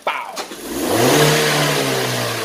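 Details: 2013 Kia Sportage with an ignition misfire complaint, tested with a KTS 590 scan tool after the ignition coil was swapped. The engine catches quickly, revs cleanly, then settles into a smooth, even note without stumbling or popping: normal running.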